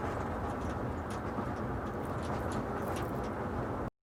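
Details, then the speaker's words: 2004 Ford Expedition with over 190,000 miles, driven on the same road after fitting a new rear lift glass weatherstrip: only steady road and tyre rumble, and the rear glass rattle is gone. No rattle while driving. "we're back on the same stretch of road conditions are exactly the same sound is gone"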